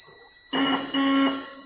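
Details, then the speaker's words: Bike electric horn being retuned by loosening its adjustment: two short buzzy blasts with a steady, rough, harsh-edged tone, not a clean note; adjustment still off, needs more loosening. "और थोड़ा लूज करना पड़ेगा। थोड़ा और लूज कर लेते हैं ताकि सही आवाज़ हो जाए इसका।"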